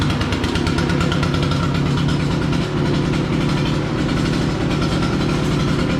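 Even, buzzy small two-stroke running at a steady speed with no misses or knocks; a healthy new engine.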